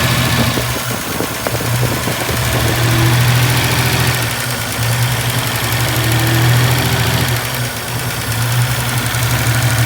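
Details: Sawbones 60 engine: idle rumble swells and sags every few seconds instead of holding steady; rough hunting idle, owner suspects a vacuum leak, unconfirmed.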